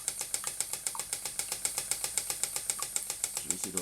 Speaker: c'est une pompe qui peut aller jusqu'à 400 coups minute on peut pas parler de tours puisqu'il n'y a pas de requins